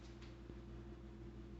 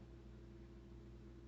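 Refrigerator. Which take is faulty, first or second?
first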